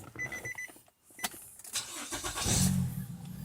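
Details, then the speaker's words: Car that would not start, tried again after the battery was replaced. Brief crank, then the engine catches and settles into a steady run. Normal start on the new battery. "and there we go. Vehicle started successfully."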